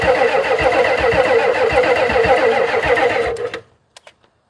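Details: 1991 Ford F350 dually, 7.3 IDI diesel, unrun since 2010: steady chugging about 3.5 beats per second for three seconds, then cuts out; barely catching. Owner suspects fuel delivery or low pressure and may fit a fuel pump; unconfirmed.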